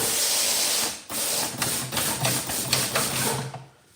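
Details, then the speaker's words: 1963 Impala air system with two compressors and water traps, tank purge button pressed: loud air hiss, then rapid slapping about three times a second as an unsecured discharge line whips under the car; line needs securing. "Now, like now you hear it whipping. It's just underneath the car and it's just whipping. So, I have to secure that."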